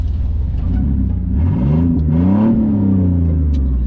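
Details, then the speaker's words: 2003 Chevy S10 Blazer, 4.3-liter Vortec V6, with its failed catalytic converter cut out by hacksaw: a deep, loud droning rumble rising and falling with revs, far louder than stock. "That's not modified exhaust, although I guess it is modified exhaust. It's just with a hacksaw modified. It's missing its cat."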